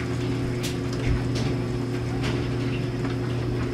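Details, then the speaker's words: 2009 NTI Trinity Ti100 gas boiler after pressure switch/sensor replacement, system at 14 psi, zone calling for heat: steady low hum with even overtones, no knocks or surging; burner on with blue flame, normal running. "we have zones calling for Heat burners on and we have a blue flame"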